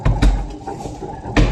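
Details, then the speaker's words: Washing machine spin dryer drum running with lid open and top cover removed, heavy low thuds in pairs as the drum cannot stay balanced and wobbles, knocking: spin drum knocking from imbalance. "आप देख सकते हैं कि जो हमारा spin drum है वो इसका बैलेंस नहीं बन पा रहा है। जिसके कारण हमारी जो मशीन है वो खटखट की आवाज दे रही है।"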